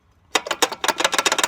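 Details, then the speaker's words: 2002 Chevy Silverado 1500 driving below 65 mph: quick uneven tinny metallic rattle, intermittent, absent at highway speed; owner believes a loose brake shoe is the cause, unconfirmed. "so when you're going down the road it never did it when I was at there on the highway going 65 miles an hour plus but anything slower than that it would rattle every now and then it doesn't do it all the time but I'm hoping that's it"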